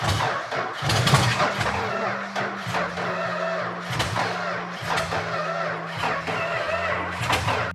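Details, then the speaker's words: Purple Dodge Challenger first start in 30 years, dry engine with unpumped lifters: slow, laboring crank about one uneven stroke per second, droning starter, no catch; slow cranking, suspected low compression and poorly working valves. "So firing a dry engine is most difficult because you probably have very low compression and valves that aren't working the way they're supposed to."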